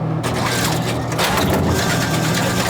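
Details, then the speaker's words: Royal GIII soda machine, test vend of working column 6 for comparison with the jamming Cherry Coke column: short whirring motor run with light clicks and a product drop; cycles cleanly as a properly working column should. "So first I'm gonna test vend this column 6, and you'll see how this should work if it's working properly."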